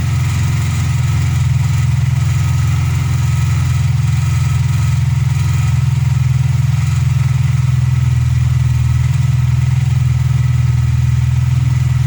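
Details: VW Polo Playa after fixing a no-spark no-start by replacing the snapped distributor wiring loom (clutch recently changed): smooth, even idle with a steady low beat and no misses, clatter or tapping.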